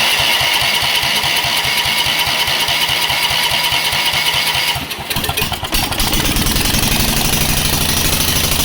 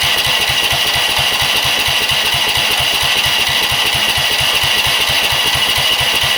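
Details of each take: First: Rock-mower small engine, no muffler, governor held by hand to keep it running, first run in a long time, fire from exhaust: loud, sharp crackling pops at a fast even beat, then surge to wide-open throttle; running strongly. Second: Rock-mower small engine with new carburetor, just primed and started, governor and rev limiter removed: loud, ragged run pulsing about twice a second, won't hold steady speed; owner suspects the throttle setup without the governor.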